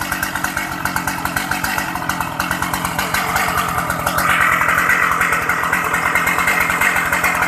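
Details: Shindaiwa 757 high-power chainsaw with 60 bar and One Pro carburetor (said very fuel-efficient): starts easily, oil pump working, crisp even two-stroke buzz rising smoothly to high revs, strong, no misfire or rattle; normal running.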